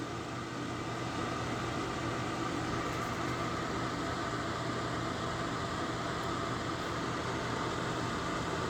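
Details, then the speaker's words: Lasko 1500 W, 12.5 A electric fan heater on high (1500 W, low is 750 W) after the switch clicks. Steady even rushing hum with no knocks, rattles or squeals; normal operation. "when you hear that clicking then when you hear it clicking again so now we're burning 1,500 Watts"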